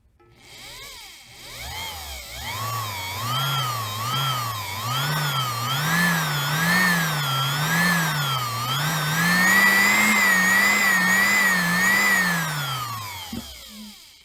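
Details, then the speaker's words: Refurbished 1972 sewing machine motor (1.3 A), cleaned commutator and lubricated, bench-tested with pedal current regulator pushed all the way down; high, clean whine climbing and wavering with the pedal, no rattle or grinding, spins freely and healthy at full speed. "the sound gives you a very good idea how fast this thing can spin"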